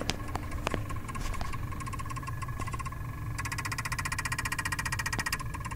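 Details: 2005 Ford Crown Victoria won't crank: rapid chattering clicks when the key is turned, engine never turns over, cause not yet found.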